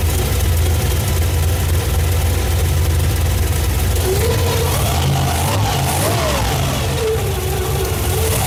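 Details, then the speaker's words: 1987 Firebird with 350 bored .040 over, big Lunati cam, Holley 650 carb, just started after swap; lumpy idle with whine rising and falling with throttle blips from intentionally fitted straight-cut timing gears. "Hell yeah. >> I love the way those timing gears sound. Yes."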